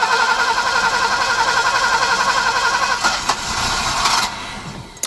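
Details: Alfa Romeo 90 after 22 years standing, new fuel pump just fitted: steady starter churn at nearly four turns a second, then a brief ragged catch that fades out; long crank, engine nearly fires but won't start.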